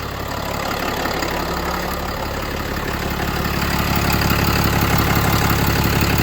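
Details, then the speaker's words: RAM 5500 Cummins 6.7 diesel after VGT actuator installation, vehicle raised: steady diesel idle clatter slowly building louder, no knocks, misses or whistles; no check engine light, ABS light on likely from wheels turned with key on; engine healthy. "right everything is good here it's hooked up not too sure why that abs light is on but most likely because the vehicle's up and these have turned while the key was on but everything sounds good so far"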